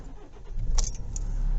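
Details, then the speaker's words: Kia Ceed/i30 CRDi diesel, warm restart after two minutes, after fuel filter replacement for hard starting: a little key rattle, a short crank, then prompt catch and a steady, even idle; normal start. "started as normal pretty much I would say so I'll just double check that yep nothing unusual about that so that was successful"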